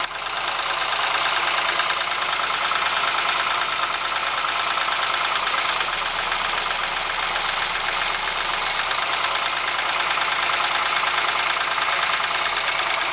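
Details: Ford Sierra engine idling with a steady tapping knock riding over it at roughly three per second, constant throughout; engine knock of unknown source.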